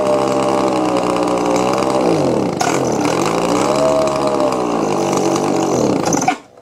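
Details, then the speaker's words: Old Echo leaf blower: two-stroke screams at a fast, steady idle, sagging twice under a bog before recovering; mixture adjustments do nothing; the carburetor metering lever (flapper) was found stuck, causing the constant high idle. "That feels like it's not moving, so that's why it was idling so high all the time. So that little flapper deal, it's just stuck."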